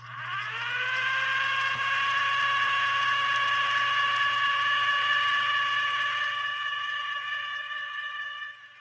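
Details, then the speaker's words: Viking 21E sewing machine in slow gear (1/5 speed, balance wheel locked): steady motor hum with a smooth, even whine settling after spin-up; the motor is held back by the gear reduction and running cleanly. "Hear how the machine sounds so different because it's operating with that gear down. It's geared down the machine, a 10-speed bike, and so the motor is not running at the normal pace."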